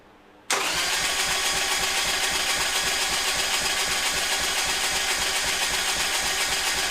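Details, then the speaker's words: 2001 Harley Sportster, 1200 conversion with Wiseco 10:1 pistons, just fitted with Andrews N2 cams and S&S lifters, spun on the starter with plugs out to circulate oil: fast, even whir with no compression chuffs. "I spun it over as you saw by hand. Just go ahead and roll it over, get some oil circulated."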